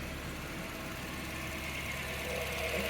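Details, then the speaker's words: 1994 Toyota Previa LE supercharged AllTrac chasing a P0171 lean code after a head gasket job: cold idle just after installing rebuilt fuel injectors and a new PCV valve, pulsing evenly with no misses and more consistent than the earlier choppier idle. "you know what it sounds like it's just running smoly let's see what it sounds like in the back I swear to God it's more consistent it was a little choppier than that before"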